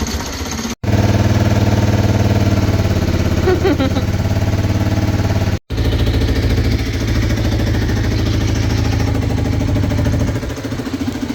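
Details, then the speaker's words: 1989 Kawasaki GPZ500S, about 17,000 miles, off the road since 1994, first start before restoration: uneven, lumpy idle with irregular beats and faltering rhythm; rough running, cause unknown. "So, now that we know it starts-ish, it was a bit rough, but it was going."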